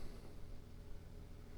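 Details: Hisense portable window air conditioner with dual-hose vents, just switched on, set to high; quiet, steady low whoosh of air, no rattle or squeal; fan running normally before the compressor starts, which can take 3–5 minutes.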